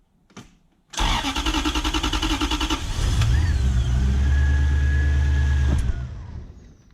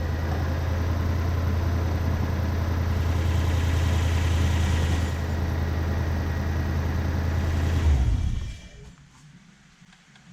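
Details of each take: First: BMW E36 coupe with a swapped Gen2 Toyota 1UZ-FE V8 (standard igniters, airflow meter fitted): a long crank catches into a lumpy, uneven run with sharp pops through the intake. It was worse the day before, and the ECU is to be examined. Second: BMW E36 coupe with a swapped Gen2 Toyota 1UZ-FE V8, after repairs and throttle position sensor adjustment: smooth, even low burble for about eight seconds with no ticks or stumbles, then switched off. A healthy idle.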